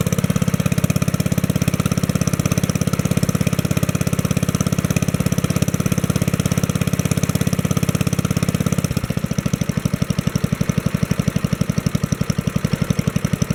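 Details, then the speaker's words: 1964 Wheel Horse 704 Kohler single-cylinder engine after fixing rod knock from worn rod and crankshaft (crank still 0.002 in out of round): even steady thumping, easing down smoothly; no rod knock, only lifter tapping and belt flapping on guard. "it okay that sounds good there don't hear any rod noise now i can hear the lifters tapping and i can hear the belt flapping against the belt guard that sounds like normal"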